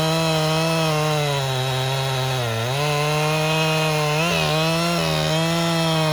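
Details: 1997 Husqvarna 371 XP two-stroke chainsaw, rebuilt by a local shop after blowing up, cutting dead red oak firewood in the rain. A high, steady howl dips and recovers as the chain bites, then pulls straight back up; normal running under load.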